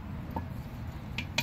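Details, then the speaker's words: Mercruiser Alpha drive, prop turned by hand while slowly shifting and stopped half in gear: sharp metallic clicks as gear teeth ride tip to tip, not fully engaged. "that is very bad that means that the gear teeth are just touching the tops of the teeth instead of being fully engaged"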